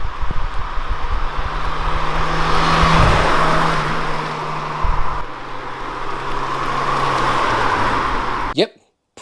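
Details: Mk1 Mazda MX-5 Miata four-cylinder on its old original standard exhaust, before custom catback: even low idle burble, rising cleanly when revved and dropping back; pretty standard sounding, healthy.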